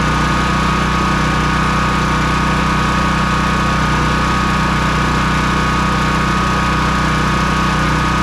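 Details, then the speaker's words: Honda EB3800X generator with GX240 8 hp engine after carburetor replacement and a sticking governor freed, speed set to about 125 volts with no load: smooth, steady hum at one speed, no surging; normal governed idle. "I slowed it down quite a bit to be at about 125 volts at that RPM."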